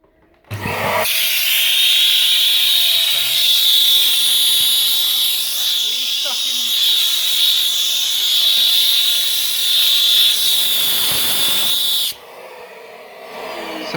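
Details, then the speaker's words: Vax Air Stretch Pet upright vacuum, about a year and a half old, sucking dust from carpet: piercing steady high whistle over normal roar; stops temporarily when the top hole is covered, suggesting a suction issue; cause unconfirmed. "Hello, I'm having a bit of a problem with my back super. It is making awful sound which you'll hear in a second."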